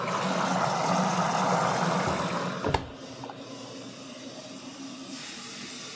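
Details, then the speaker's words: Samsung AddWash washer at cycle start after door locks and initial drain: steady rushing hiss of water filling the drum, then a click as it cuts off; normal inlet valve fill. "I don't know if this is going to be good, guys. I don't know. Here comes the water, which does work."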